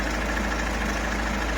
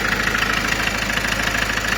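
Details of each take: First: Ford Mondeo MK5 2.0 TDCi DW10F diesel, about 370,000 km, low oil pressure fault: idling with loud busy mechanical rattle and whirr from failing oil pump, not accessory belt, alternator belt or timing; pump to be replaced. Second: Ford Mondeo MK5 2.0 TDCi DW10F diesel, about 370,000 km, after oil pump failure repair with low oil pressure fault, reassembled with injectors and pumps refitted: steady idle with typical even injector clatter, no extra knocks; healthy.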